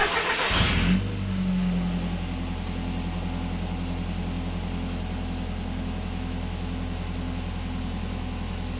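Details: Audi TT mk1 1.8T, about 130k, just fitted with a new Sytec 300 LPH in-tank fuel pump replacing the original; short crank, then catches cleanly and settles into a steady even idle, healthy start.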